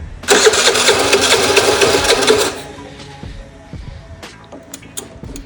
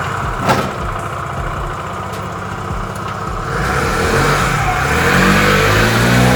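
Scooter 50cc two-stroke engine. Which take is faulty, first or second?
first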